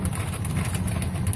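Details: 2007 Ford F150 that cranked but wouldn't start, idling after the broken fuel pump driver module was reconnected, before it was bagged and taped: low, steady idle rumble holding even without stumbling or dropping out. Normal idle after repair.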